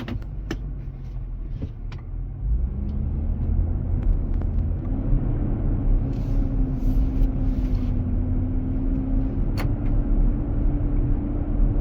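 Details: New 2023 Nissan Armada with about 4,000 miles, driving in hot weather: deep steady roar that swells and holds, fading near 45 mph and returning on acceleration from a stop; dealer confirmed the engine cooling fan clutch engaging.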